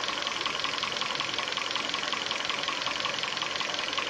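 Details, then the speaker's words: 2012 Korean-market Hyundai Sonata, 126,800 km, converted between gas (LPG) and petrol, idling on gas: steady fast ticking knock, about 160 a minute, over hissy idle; clear top-end knock, owner mentions chain, cause unconfirmed. "Вот появляется звук. Сейчас звука нет просто. Вот он. Вот он, сейчас появится. Все стучит, конечно."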